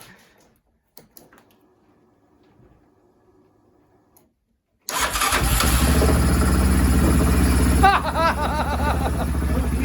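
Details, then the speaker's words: Yamaha Rhino 700 after engine rebuild and reassembly, first start after being loaded with fuel from cranking: catches and settles into a fast, even idle noticeably above normal; idle needs adjusting down. "That sounds real good. Still think we'll have to adjust that idle down, or idle down just a little bit."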